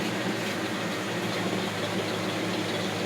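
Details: 1980 Lincoln Continental idling just after starting, following replacement of the ignition coil and starter solenoid for a no-start: a steady, even idle with a smooth low rumble and no misses, knocks or stumbles; it runs healthy.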